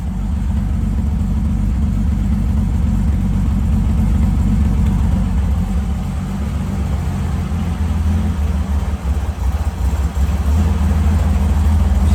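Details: Holden grey motor six-cylinder at first start after rebuild, temporary short tailpipe: revs up and settles cleanly, steady firing with no knocks or rattles; runs healthy.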